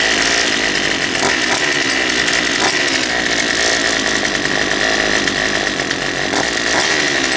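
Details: Poulan Pro 222 38cc chainsaw after the fuel lines were re-routed correctly and a new air filter fitted: a high, steady two-stroke buzz holding even revs without sputtering or dropping out. It runs properly.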